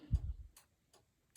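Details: 1995 Chevrolet Impala SS after fitting LED taillights with added resistors and new flashers. Sharp even ticks about every 0.4 seconds, steady normal flash rate; flasher cycling properly with load connected.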